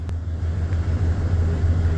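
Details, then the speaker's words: 2007 Ford F350 Triton 6.8 V10, no check engine light: deep idle rumble with uneven, lumpy beat and dropped pulses, a bad misfire at idle; cylinder contribution test used to find the misfiring cylinder. "No check engine lights or nothing, but it has got a horrible mess to it."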